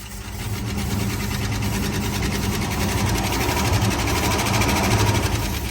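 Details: 1970 Ford Bronco V8, first start in 8 years, fuel pickup from tank suspect: steady idle sounds pretty good but a light quick tick, roughly three a second, rides over it; cause unknown.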